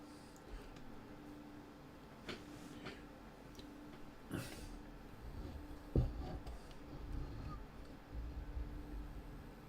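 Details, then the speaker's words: Circa-1939 Mullard Model 62 Town & Country radio, possibly a battery farm set, powering up through a dim bulb that shows no glow. Faint steady low hum under clicks and handling noise; the hum's cause is not yet known. "Can hear it humming. There's no glow in the dim bulb."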